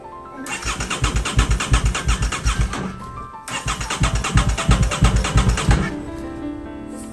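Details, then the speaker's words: Rebuilt 2023 Aprilia RS660 after a crash: the starter churns the engine in even pulses, about three per second, in two bursts, but it never catches; no fuel pump prime is heard at ignition, so it cranks with no start. "So, the bike's not going to start if the fuel pump is [music] not priming."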